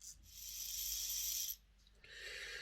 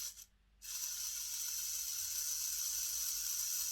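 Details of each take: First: Hornby R066 Duchess of Sutherland model loco bought as an eBay non-runner, fitted with new brushes and springs and gear oil: thin, high buzzing rattle as the gear flails when the motor runs one way; the spindle is loose. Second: Hornby R066 Duchess of Sutherland model loco motor, eBay non-runner, freshly fitted new brushes and springs, bench-run on battery before oiling: bursts of high, even whir, motor spinning freely and steadily; normal motor run.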